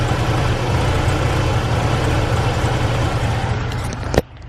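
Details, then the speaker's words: BMW E46: deep idle that lumps and stumbles irregularly instead of running evenly, then cuts off, a bad misfire; the engine often stalls when revs drop at lights and is hard to start; owner suspects coil pack or spark plugs. "here and rev the car when it wants to idle which is the reason why i don't drive this car anymore and i am back to driving the burner for a little bit but yeah that misfire is really bad"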